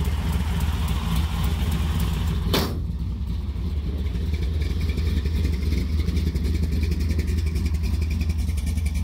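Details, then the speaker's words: 1973 Plymouth Satellite Sebring Plus with 451 stroker big-block V8, at operating temperature with the air cleaner refitted: deep, steady burble at warm idle with an even lope and no knocks or ticks; running well. "all right now we just let it warm up and this be a success all right well we got the air cleaner back on it he's up the temperature running damn"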